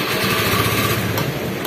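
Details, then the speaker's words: Honda Vario 110 scooter after bypassing the faulty starter relay inside the CDI: quick rhythmic cranking pulses straight into engine running with no tek-tek clicking or hesitation; starter now engages normally every press. "Tinggal kita tekan tombol starter. Nah sekarang udah cek gur ya. Tes lagi. Tuh udah langsung cek gur lagi."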